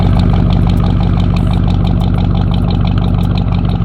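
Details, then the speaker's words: Oldsmobile Cutlass 307 V8 just back from the mechanic, still burning oil at start-up and stalling once: a deep, even idle with a slight rhythmic cam lope and no knocks or ticks; normal idle. "but this is idle I'm gonna die out I knew that was coming but bro that that Idol sounds good"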